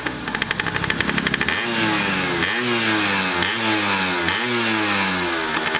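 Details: Restored Yamaha F1ZR two-stroke with a rebuilt stock (STD) engine and full clutch: rings up and drops back cleanly through several quick blips, each rise smooth with no misfire or bog; healthy after restoration.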